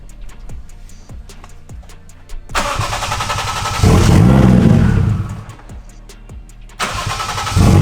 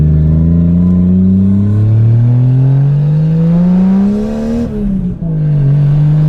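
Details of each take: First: Lexus IS300 with 1JZ swap, aftermarket ECU Master, drive-by-wire throttle issues, check engine light for IAT and drive-by-wire: clicky cranking, catches, runs lumpy with surging revs, no clean idle; owner suspects ECU unhappy with drive-by-wire setting. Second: Lexus IS300 with 1JZ swap and stock turbo, drive-by-wire throttle issues: free revs climb smoothly and drop back cleanly to idle, making about 5 psi boost, no misfire or stutter; running strong.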